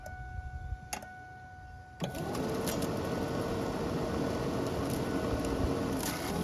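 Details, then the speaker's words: 1999 Ford Ranger, key on after replacing the blower motor: after a couple of seconds a steady, even whoosh of air builds and holds with no rattles or surging. The new blower motor works normally. "like we are successful. We have a working blower motor."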